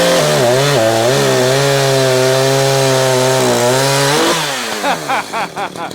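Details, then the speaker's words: Echo CS-590 chainsaw during carburetor tuning, high-speed screw turned richer: high scream under cut, then revs sag into a lumpy, burbling blubber; high-speed mixture too rich, to be leaned out a quarter turn. "Alright, see there, I've got too fat. So the high end, we're going to go to the right, lean her out a quarter."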